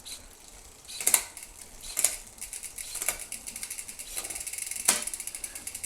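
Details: Wheeltop EDS TX wireless electronic groupset, 13-speed 10-42t cassette with 52/36 chainrings, rear shifting; quick crisp clicks over light freewheel ticking, no grinding or skipping, shifting works properly.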